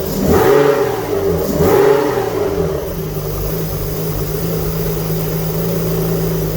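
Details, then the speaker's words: Alfa Romeo GTV V6 at its first proper start after mechanical restoration, last serviced in 2002: two clean throttle blips settle into a smooth, even idle with a steady low hum. Smoke is from unburned oil burning off; normal idle and revving. "let's hear it run properly oh yes all the smoke is going to be from unburned oil and stuff which has got over the engine once that all that heats up it will burn away"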